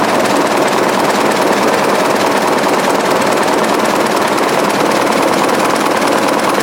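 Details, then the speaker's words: 1920s 45 hp General Electric genset, serviced after over 10 years unrun, just started at half choke: steady, even clatter, no misses or heavy knock; sounds healthy. "exhaust goes across the room here in that pipe comes outside here oh loosen it pretty healthy sound"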